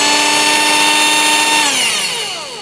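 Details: Stock Ambiano cordless hand mixer with stock beaters and no ventilation holes, running unloaded: a very high, steady motor whine that drops away as it spins down, far too fast for the lowest setting; excessive unloaded speed.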